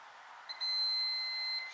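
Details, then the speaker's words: Honda FourTrax 300 ATV, kill switch tested with a multimeter: no continuity when off, then a single steady high beep of about a second when on, so the kill switch works. "kill switch Works kill switch works"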